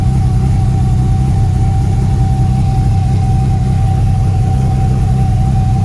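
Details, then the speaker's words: BMW B220 engine on an 80s Sunseeker XPS 25 powerboat, first run on old fuel with water to the outdrives: low, steady idle with a faint uneven beat, one cylinder missing slightly, otherwise smooth tick over; points and carbs suspect. "awesome that one sounds like it's missing a tiny bit but it'll clear out certainly very smooth on tick over nice right"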